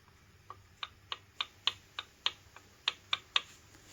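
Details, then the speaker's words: Mercury 40-60 HP outboard lower unit, pinion rocked by hand against the forward gear: sharp light metallic clicks, about three a second, from excessive backlash. It is set by moving the gear with shims. "so that's what we hear is the gap or clearance that we have here"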